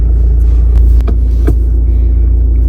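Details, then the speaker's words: 2019 Skoda Octavia 1.6 TDI 85 kW diesel, 264,000 km, started up and idling: deep, even diesel rumble with steady beat, no knocks or misses; starts well, normal healthy idle. Fifth gear noisy (gears worn), key fob battery needs replacing. "заведемо заводиться добре в ключику треба батарейку замінити"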